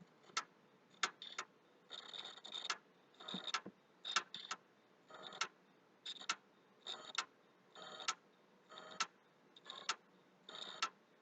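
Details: PS3 console, hard drive already formatted, slow to boot, reinstalling: irregular sharp clicks with short scratchy bursts, roughly one a second, over near silence; the hard drive is clicking, cause unknown to owner.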